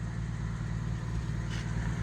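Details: 1959 Chevy Biscayne, 235 six-cylinder, manual, on temporary fuel jug, running smoothly after start: even steady low burble with no knocks or misses; normal idle.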